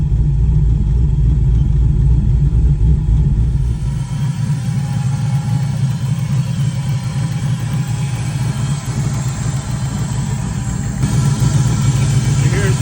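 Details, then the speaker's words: 1988 Camaro with 4.8 LS, ACES fuel injection being tuned, still cold: deep even V8 burble at idle about 3.5 pulses/sec, no skips or stumbles; running clean, minor header gasket leak noted. "the car is still pretty cold so yeah it's reading 100% but you can hear there's no skip or nothing like that like the feeling is is pretty pretty close on this"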